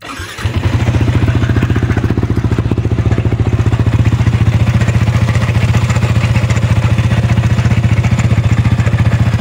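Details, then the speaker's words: Yamaha Sniper 155 VVA single-cylinder engine idles with a fast rattly clatter from the cylinder head, not yet revved; suspected loose worn cam bearing and rocker arm, a common issue on this model. "Meron siyang maingay sa kanyang bandang head. Yan parang bearing na malog at maingay talaga yan."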